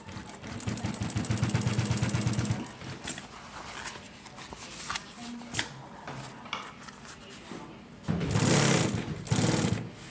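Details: Juki LU1510N-7 single-needle walking-foot machine with trimmers and auto foot lift, sewing test material at a 6 mm stitch length: steady rhythmic stitching hum for about two seconds, then handling noise; it runs smoothly.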